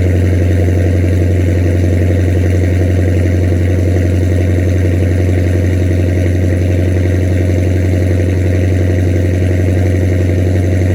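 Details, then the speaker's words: 2006 Chrysler 300 with swapped 2014 6.4L V8 and 6-speed manual, straight-piped with SRT headers, cold start before long-tube header install: loud, deep, steady burble with even beat, no knocks or misfires; normal healthy cold idle. "This is gonna be a cold start right now, and this is gonna be the before sound."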